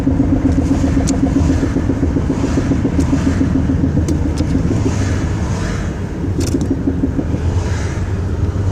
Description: Ended up being broken front & rear half-shafts (boot was all ripped up, bushing junked out, no grease left) & broken control arm.